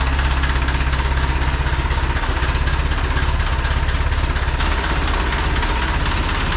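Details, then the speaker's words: Restored 1950 Ford 8N tractor, exhaust manifold leak fixed with a new gasket, just started: steady even low chugging idle, about 200 beats a minute, no knocks or misses. Normal idle. "Yeah, so it fires right up."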